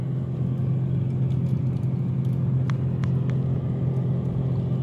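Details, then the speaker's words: Samsung 7.4 cu ft refrigerator running, heard at the freezer compartment and the outside of the cabinet: a steady low compressor hum with a faint constant tone and no rattles, knocks or squeals. Normal operation. "ก็เป็นปกติของการทำงานตู้เย็นนะไม่ใช่ถือว่าดังมากๆพ่อแม่พอปิดก็เงียบก็ไม่ได้ยินเสียงเลยครับ"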